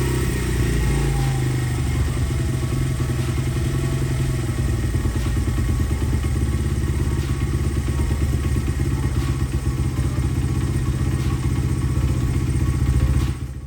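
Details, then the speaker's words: Honda XR100 carbureted single-cylinder, revived after over five years in storage: fast, even thumping idle set deliberately high, settling slightly lower as the idle screw is turned down; before air-fuel screw tuning. "let's see how the idle is too high that's what I was shooting for so now I'm going to lower the idle down"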